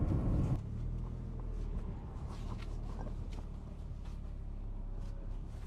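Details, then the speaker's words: 2007 Toyota Corolla on E85 after front-end repair (CV axle refitted, engine mount tightened) road test: quiet low rumble, no pops or clunks; front end tight, fixed. "No more clunks, smooth as butter."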